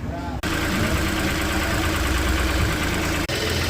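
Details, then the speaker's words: Ford Ka with a 1.0 or 1.5 three-cylinder Dragon engine at idle. Uneven, lumpy idle with a low drone that briefly dips twice. Cause is a VVT/cam-timing solenoid clogged by debris from a disintegrating belt, not the valves. "tripida na macha lenta alguns modelos pode ocasionar de fazer barulho Tá bom um barulho direto aí no motor achando que é válvula etc mas não é é apenas esse daqui ó solenoide suja"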